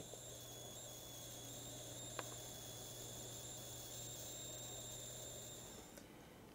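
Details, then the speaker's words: Lenovo T500 laptop with a failing display, sound near the hot inverter board and CCFL backlight: faint, steady high-pitched hiss and whine like steam from a radiator; cause suspected in the inverter/CCFL circuit, not confirmed. "I don't know if you can hear that sort of sounds like steam coming out of a radiator a little bit"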